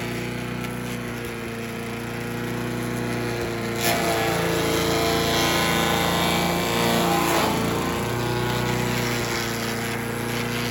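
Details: Troy-Bilt chipper/shredder, rough after carburetor reassembly but now running great, chipping branches on the second day: steady, even drone briefly bogs as branches feed through, then recovers cleanly; normal running under load. Owner suspects rocks damaged the blades.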